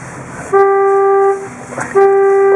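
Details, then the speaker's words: 1958 Chevrolet Bel Air, first drive since 1971, cold day: two steady mid-pitched honks under a second each as the steering wheel turns, from faulty horn contacts in the wheel; horn sounding when steering wheel is turned. "my uh contacts in my steering wheel are obviously not working because whenever I turn the wheel it honks people are going to think I'm rude or something"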